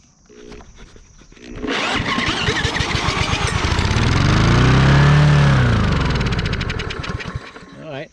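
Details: Lawn mower that won't start unless gas is sprayed into the carburetor: drill spins it up, it catches into an even popping run, then dies; compression and spark confirmed, fresh fuel; carburetor jet clogged.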